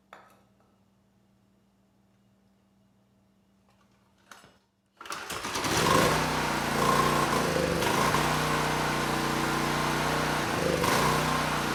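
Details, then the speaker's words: ETQ 2700-watt generator with brushless powerhead, not run in years, started with starting fluid: catches and runs but speed sags and surges; needed choke as far as it would go to keep running, choke off after about 30 seconds, speed still unsteady; unsteady idle from dirty carburetor. "now the carburetor i mean it it runs the engine but it was struggling i did have to put the choke on at least as far as it would go to keep the engine running and after about 30 seconds i could turn it off but the engine speed was unsteady"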